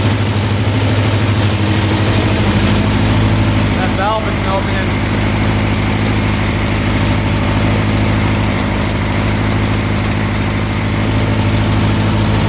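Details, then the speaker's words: 1967 Volkswagen dune buggy, non-runner revived: loud, lumpy low idle staying fast and uneven instead of settling, smoking; automatic choke not turning off, stuck closed, running rich; owner suspects a temp sensor controls it. "The choke was not turning off, so that must turn off once you get this engine warmed up, because it looks like it's attached to here, which I'm guessing is what opens and closes the choke butterfly, and then that's connected to here."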